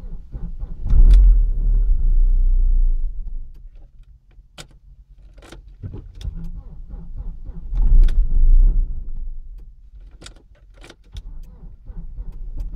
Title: Audi A4 B5 1.8T AEB won't start